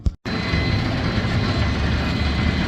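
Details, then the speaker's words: Brunswick A2 pinsetter with a recently replaced cycle solenoid; the complaint was no cycling on first ball. Ball detect beam tripped: brief silence, then a heavy, steady mechanical rumble. The machine cycles normally. "Trip the ball detect beam. It cycled. Waiting on pins."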